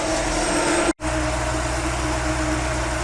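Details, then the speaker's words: 1955 Chevrolet Nomad after fixing timing, fuel system and ignition problems: steady even idle slightly fast, around 900 rpm, with faint exhaust rattle underneath; running good again. "but I think I got running good again now like I literally parked it then it wouldn't run but it sounds good"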